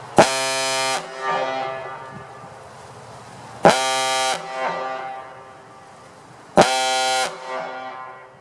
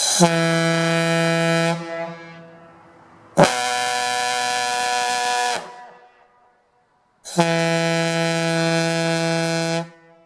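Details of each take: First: Gamewell Type B diaphone fire horn with the original aluminum piston refitted, fed by a 1/2-inch supply line instead of the required 1-inch, emptying the tank; three long deep reedy blasts ending in falling grunts as air drops, horn healthy. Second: Gamewell Type B diaphone fire horn run on an aluminum piston without the 40 holes and extra collar, fed by a 1/2-inch supply line instead of the required 1-inch; three deep blasts, deeper tone, each cutting out or sagging as it starves for air.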